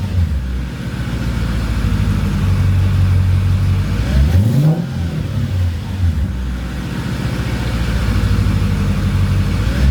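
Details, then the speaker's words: Mercedes CLK55 AMG with swapped supercharged M113K V8 after Hellcat fuel pump install, cold: even idle then a quick clean rev rise and fall, no fuel pump whine or weird noises; pump fine. "all right no weird noises from the pump that's what I was hearing for so I think we're good on that front"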